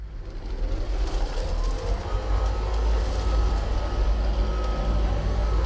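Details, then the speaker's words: Hoover ONEPWR HEPA+ cordless bagged upright vacuum (BH55500PC) on low speed hard-floor mode over a wood floor with cat litter and cereal: steady even low drone with a faint constant tone; runs normally, though the spinning brush pushes debris behind it. "we're going to try it in the low speed which is the hard floor mode"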